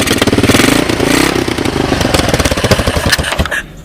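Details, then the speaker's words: 1986 Honda TRX200SX ATV, cold start on portable GY6 12 VDC CDI ignition box, choke on, oil checked: loose, lumpy, irregular single-cylinder popping that tapers; rough cold idle expected to smooth as it loosens up. "this hasn't been running a very long time so it's probably going to take a few minutes to idle and loosen up and um and uh idle better"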